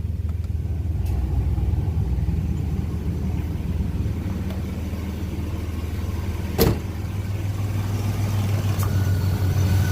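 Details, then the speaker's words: Chevrolet S10 Blazer LS at low idle with AC on, after belt tensioner, idler pulley and serpentine belt replacement; sharp click every couple of seconds as AC clutch short cycles, owner suspects still losing refrigerant. "I think that might be my issue off and on off and on is not good that means that I'm still losing the yep I'm still losing uh freon that'll be another job"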